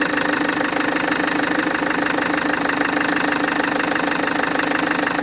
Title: FL2 Engine knocking